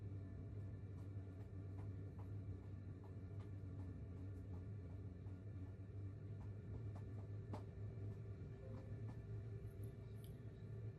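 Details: 2kW diesel air heater in 20ft pop-top caravan, outside about 7°C, running settled at low green-bar setting (level 3, about 0.8–0.9 A on 12V): steady low fan rumble with faint scattered ticks. Normal running.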